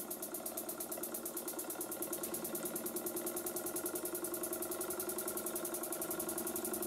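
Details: Burnac Vulcan model steam engine in a live steam test, methylated-spirit burner, boiler half full, engine freshly oiled: quiet regular chuffing about three and a half beats a second; runs OK though a problem still needs addressing, normal running.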